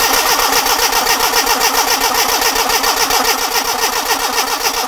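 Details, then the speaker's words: Classic Mini Clubman campervan with a burst fuel tank history, cranking with the fuel pipe pulled off at the pump: steady starter churn, no firing and no petrol delivered; they suspect an airlock between tank and pump. "okay no no there's no petrol no petroleum"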